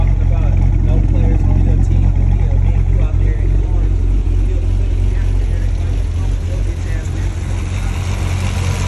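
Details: Cadillac CTS-V3 LT4 6.2L supercharged V8 after replacing two leaky stuck fuel injectors that caused rough running, smoke and misfire, plus colder NGK plugs and oil change: deep, steady rumble, even pulse, no ticking or stumble.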